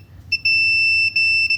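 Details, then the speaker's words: Whirlpool dryer that would not start or heat, newly replaced thermostat tested with a multimeter on audible ohms/continuity: clear, steady high-pitched beep while probes touch both terminals; continuity shows the thermostat is good. "you basically do this put them on both sides and you hear the audible tone you know say it's good"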